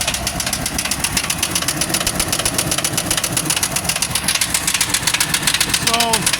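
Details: 2002 Chevy Silverado 3500, about 100,000-odd miles, first start of a project after oil refill: sharp metallic ticking knock over a rough idle, seeming from the top side, with gauge showing no oil pressure; cause unconfirmed.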